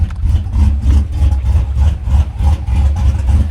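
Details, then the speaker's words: 2011 Chevy Silverado V8 after new cam install and head gasket repair, some smoke seen: deep uneven loping idle, about three lumpy pulses a second surging and dipping; choppy big-cam idle as expected. "Shoot, that sounds good."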